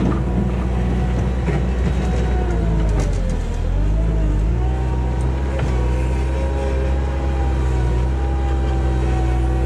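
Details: 1999 Bobcat 864 tracked skid steer test-digging after replacing the weak right-side drive motor with a rebuilt unit: steady diesel drone bogs briefly under digging load then recovers smoothly, no grinding or knocking; drive working normally.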